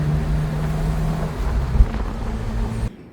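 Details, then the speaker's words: BMW E30 after caliper grease and brake quiet applied to fix a wailing squeal: low engine and road rumble while braking, no squeal or grinding, smooth operation. "No issues with braking, no noises, no nothing. Smooth operation. Oh man, much better."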